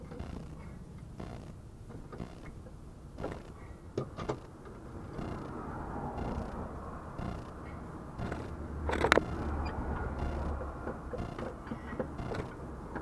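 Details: 2008 Ford Mondeo MK4, front suspension over speed bumps: irregular creaks and clunks from the front end over low road rumble. Nothing looks loose with the wheels off, so the cause is still unknown.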